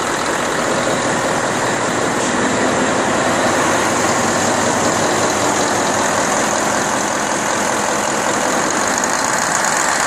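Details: Deutz 1015 diesel after overhaul, Pucallpa, Peru: runs steadily with an even, unbroken clatter and no knocks or misses; sounds healthy.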